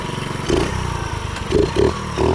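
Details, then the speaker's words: Baja Dirt Runner 50 pit bike, sitting for unknown years, revived, on a test ride in an alley: revs cleanly in quick throttle blips and drops back to a steady idle, smokes a little; normal running. "okay gang we over here in the alley and I must say man this thing runs great it does smoke a little bit but it has been sitting for a Lord knows how long"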